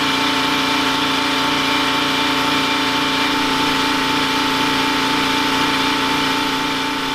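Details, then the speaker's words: Detroit 3-53 diesel generator in a homemade 1977 Peterbilt 359 motorhome, carrying two 1500 W heaters, a 2000 W water heater and two air conditioners: steady drone holding its pitch without hunting or sagging; runs smoothly under load. "this point, I've got two 1500 watt electric heaters running, a 2000 watt 6 gallon electric water heater, 2 air conditioners, and you just flat came here it loaded up at all."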